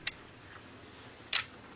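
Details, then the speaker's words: Cat5e patch cable tester, base and remote checking a newly made cable: two crisp clicks about a second apart as it tests each pair. The cable passed and is under 20 ft; the tester works normally. "You can hear the clicking. It's testing each pair."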